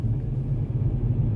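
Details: Kia K3 GT petrol turbo cruising at night in Eco mode, where the virtual engine sound generator is muted: steady, low, even rumble under light load with no droning boom; sounds normal and smooth.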